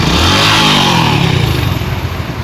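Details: Honda Pop 110i after replacing a failed camshaft bearing: small single revs briefly then settles to an even idle, no knocking or top-end rattle; normal running.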